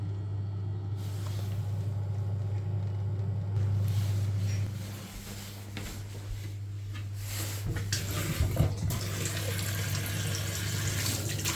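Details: Vokera boiler after an ignition-fault repair, with the condenser trap cleaned: a steady low even hum with water trickling through, no clicking or stuttering. The boiler fires and runs normally.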